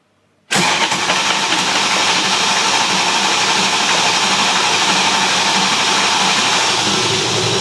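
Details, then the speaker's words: BMW E30 M3 track car with S65 engine, after rod bearings apart and modified oil pan refitted, cranking on starter: starter cuts in and spins engine evenly with no knock or rattle; oil pressure later 6.5 bar; normal cranking. "Well, no knocks on the starter mode, so that's a good start."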